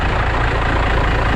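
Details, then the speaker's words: Stock 12-valve diesel, about 60,000 miles, just started after 2 weeks, throttle cable broken, some oil found in turbo so not revved: deep, steady diesel rumble at idle, even beat, no knocks or misses; normal idle. "maybe 60,000 miles on it. So she runs good. She's low mileage for a diesel."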